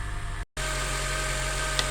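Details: 2006 Acura TSX with the 2.4 K24 engine, idling after a new alternator install: a steady, smooth idle with a low hum and no knocks or squeal; the charging voltage now reads over 14 V.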